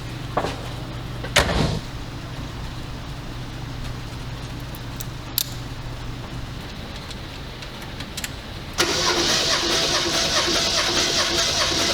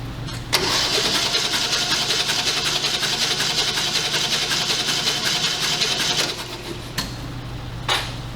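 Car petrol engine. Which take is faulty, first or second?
second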